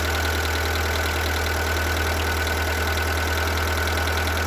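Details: Seat Ibiza 1.4 BXW petrol engine at idle with a dull, muffled knock about twice a second; suspected piston slap, which this engine is said to be prone to.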